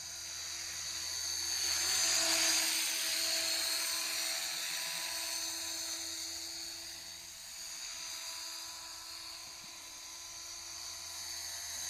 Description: got a very annoying squeaky noise when blipping the throttle